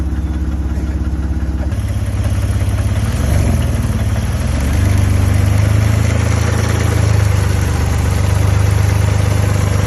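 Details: BMW E60 530i that spun a rod bearing, first start after months sitting and 7-8 minutes of cranking: deep rhythmic thumping under rough idle, a bit under three knocks a second; rod knock, engine to be replaced.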